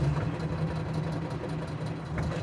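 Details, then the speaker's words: Classic car idling out of gear after a road test; a steady low drone with a faint rhythmic, trumpet-like pulse, not a rattle and no vibration through the gear stick; source unidentified, possibly an axle. "it's not a rattle it's too rhythmic to be around it's a weird sound there no vibration there's nothing through the stick almost sounds like a trumpet"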